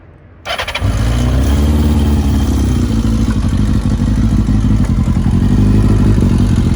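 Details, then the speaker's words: 2002 Kawasaki ZR-7S, daily use, cold start on choke: low idle with a light mechanical top-end rattle, more prominent on overrun; probably cam chain tensioner related, unconfirmed. "a bit more on the over run of the engine when you let go of the throttle it's probably cam chain tensioner related so you might get over just putting the tensioner in there"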